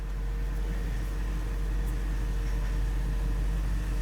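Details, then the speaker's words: 2007 Range Rover Supercharged (L322) at idle after high-pressure power steering hose replacement and bleeding (top up, run, lock to lock): only steady engine hum, no pump whine; power steering now quiet. "It's quiet. Still quiet."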